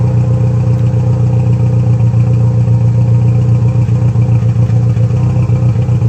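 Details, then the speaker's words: Saab Aero after a head gasket replacement, still mixing oil and coolant and smoking heavily with oil smoke: low drone with an uneven pulse about 220 per minute at idle, engine visibly shaking. "black look at the engine moving like that holy crap ruff ruff yeah here comes the smoke"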